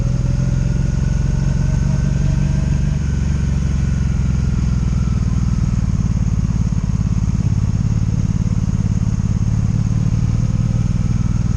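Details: 2002 Honda Magna VF750C V4, warmed up, ridden on its first non-stop test run after it previously died in gear: constant, even drone under way with no ignition cuts, misses or bucking; smooth, healthy running.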